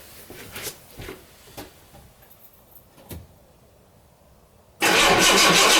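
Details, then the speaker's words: 1975 Jaguar XJ6 with stalling problem, SU fuel pump now getting 12 volts and clicking to maintain pressure, no fuel leaks: engine catches and settles into a steady, even idle. "Alright, it's running. Hope you can hear that. Tick. So that's the pump pumping fuel and not feeling any wetness anywhere at all."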